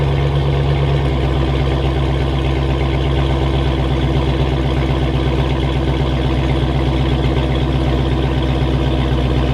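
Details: 2006 Chrysler 300 SRT8 6.1 Hemi V8, first run after stage 2 cam, valve springs and retainers install, with intake and exhaust: deep steady rumble with a choppy lope about four pulses a second; healthy idle.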